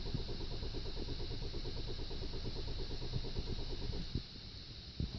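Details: 2012 Hyundai Sonata 2.0 turbo, after running out of fuel, refuelling and a new battery: steady cranking about three beats a second for four seconds, never fires; immobilizer key icon shows on dash, cause unknown.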